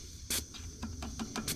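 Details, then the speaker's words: About 1970 Case 580 Construction King backhoe, old dry-rotted tube tire: a thin, steady high hiss with clicks as the valve is worked, air leaking right at the valve stem; it needs a new valve stem and tire. "this old dry rotted tire holds air doesn't blow out which granted it is a tube it is leaking out of valve stem though right off the valve"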